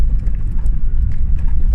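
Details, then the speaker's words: Modified MK5 Ford Fiesta driven after work to fix a knocking problem: only steady tyre and road rumble, no clunks or knocks, suspension sounding tight; a separate banging from the boot remains. "we've sort of the problems that we've been having there's no knocking that's all and yeah sway I'm really chuffed about I really am"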